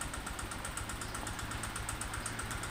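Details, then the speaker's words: Honda Vario 125 injection scooter (K59), never serviced and oil never checked: rough, uneven ticking "kletek-kletek" clatter at idle with white smoke from the exhaust, which one might mistake for coming from the CVT; rough running engine needing a top-end overhaul. "suara kasar pada mesin diiringi dengan keluarnya asap putih mungkin dikiranya dari bagian CVT"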